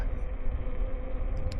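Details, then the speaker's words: Rebuilt Jansno e-bike with a geared hub motor, all-terrain tires and new short crank arms, riding on pavement: steady low droning hum, mostly from the tires, with no knocks or whine; normal. "this one's even louder because it has you know these allterrain tires on it and uh plus it has a geared Hub motor so the combination of those two together you'll hear like the the sound you hear the tires mostly"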